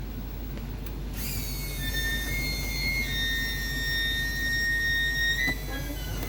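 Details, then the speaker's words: HWH hydraulic pump motor (RAP91244) reinstalled on the RV after brush replacement, running the slides with the engine running for amps: the pump starts and settles into a steady high whine, labouring as pressure builds. It sounds really good. "Always let it labor there just a little bit, make sure everything pressurizes good. But it sounds really good."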